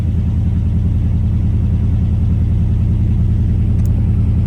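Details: Chevy S10 with fuel pressure below the 41–47 spec, just after the throttle is released: deep, slightly uneven idle rumble with a loping pulse, ready to stall; owner suspects a weak fuel pump or injectors.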